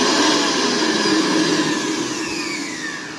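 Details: Mixer grinder after its faulty mains cord was replaced: high whirring motor that spins down smoothly, no grinding or rattle; it runs as it should.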